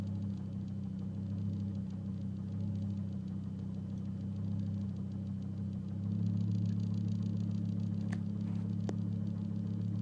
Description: 2005 S40 t5 misfiring as revs increase, random misfire P0300.